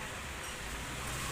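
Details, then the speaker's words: Toofan fan after repair, previously noisy with rattling and knocking from a damaged rotor: the fan now runs with a steady, even whoosh and soft motor hum, no rattle or knocking; normal fan running. "कि यह देखिए कितना सुकून चल रहा है अब बिल्कुल भी आवाज नहीं आ रही होगी"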